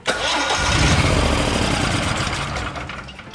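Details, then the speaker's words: Generac XG10000E generator, sat almost two years with bad gas, choke in home position: fast, even cranking with a few half-hearted coughs that fade without catching; no start, later fixed by replacing the fuel solenoid and rebuilding the carburetor. "and you can see it tries to start but it will not fire and when the choke is in the off position it won't start at all"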